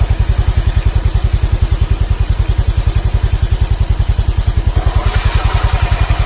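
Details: Honda Vario CBS 125 injection scooter after repair of an oil-starved seized engine, radiator refitted, idling: steady, even putter about three and a half beats per second, no knocks or misses; normal, smooth idle.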